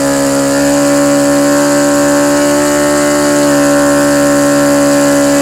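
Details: OS FS-120 Surpass 20 cc four-stroke methanol model engine, fully restored with new ring, running in on a 15x8 propeller; steady strong high-pitched buzz, even pitch, no misses or surging, mixture still slightly rich; normal running.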